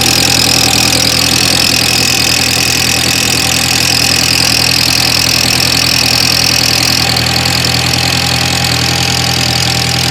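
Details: 2003 Audi A4 Quattro 1.8T on a cold start: steady idle with a loud, hissy, high-pitched rasp over a fast, even pulsing about three per second, which goes away at about 47 seconds; cause unknown.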